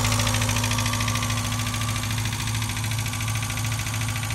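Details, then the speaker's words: Abandoned Mazda Miata engine at idle after revival, thermostat and serpentine parts not yet fitted: steady idle with a light, fairly regular tick near 160 per minute; owner suspects top end, unsure, hopes it may go away. "it definitely doesn't sound awesome [Music] so it runs it runs not a thousand percent sure on that tick though it sounds like top ends though"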